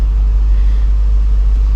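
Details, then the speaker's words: After intake manifold gasket repair, 2007 Dodge Magnum SRT8 6.1 Hemi V8 idles with a deep, even, steady rumble, no knocks or misses; never idled this well in five days owned. "it's never idled this well either since i've owned it which is only you know five days and uh nice and smooth"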